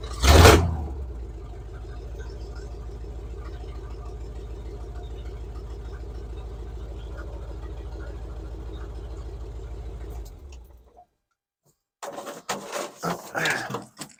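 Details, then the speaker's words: 1978 Chevrolet K10 with 305 cu in V8, reassembled with inline fuel filter and primed carburetor bowls: steady even rumble with smooth regular firing, no misses or knocks; now idling cleanly. "Well, there she is, purring like a kitten. She finally started running right."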